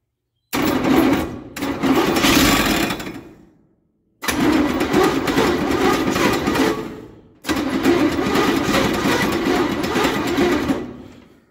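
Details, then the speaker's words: 283 V8 in parts truck, new cheap starter held by one bolt, gasoline poured down the 2-barrel carb: three even churning cranking bursts, brief stumble as it tries to light, never catches; cranks but won't start. "It tried to light. I should be using some carb cleaner or brake cleaner or something instead of gasoline."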